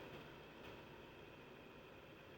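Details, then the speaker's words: Dreo Macro Pro HEPA air purifier just powered on at its lowest fan setting: soft, steady airy hiss with no rattle, tick or hum; quiet, healthy fan. "so it's powered on I currently hear it running we're at the lowest fan setting so let's cycle through some of the different options here"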